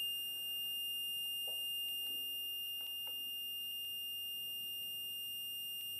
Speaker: oh right on the button I didn't see that see you right as I come up to zero yeah so we're on right now